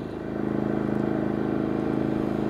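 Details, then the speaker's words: Genmax 4500iBEFI electronic fuel-injected inverter generator (4,500 starting/3,600 running watts), low idle with no load, measured 23 feet away on concrete: quiet, smooth low hum with fast even pulse, no surging or rattles; normal idle. "Okay, the first test is at 23 feet away and on low idle."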